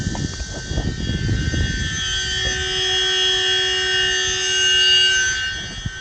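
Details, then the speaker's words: Losi Promoto MX RC motorcycle after a hard jump: high, steady whine for several seconds over faint hiss, loud and droning; wheel shakes when stood up, owner suspects something wrong with the spinning flywheel, cause unconfirmed. "so there's something definitely going on with that uh spinning thing and if I stand it up there's a shake in it"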